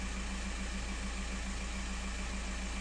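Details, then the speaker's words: Skoda Octavia A5 1.9 TDI PD 77 kW at idle: silent with the clutch pressed, but a faint rattle and pedal vibration begin as the pedal is released past midway; release bearing suspected, not confirmed. "вижав і тишина вібрації нема начинаю відпускати педаль помалу за серединуво відпустив і мені вже начинає йти вібрація по педалі"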